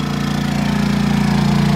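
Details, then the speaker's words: Honda 2200 W generator beside the RV, carrying a Dometic 15k AC with Softstart at about 1580 VA: a smooth, fast, even pulse with a steady tone and no misses or knocks, quieter than the AC. Healthy. "of course i can hear the air conditioner but i really don't hear the honda and that is the beauty of the honda"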